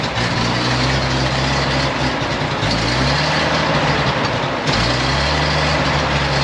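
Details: 1956 GMC 630 fire truck, 503 straight-six with carburetor, rescued off a farm, idling after revival: deep, steady low rumble with an even beat, no knocking or stumbling.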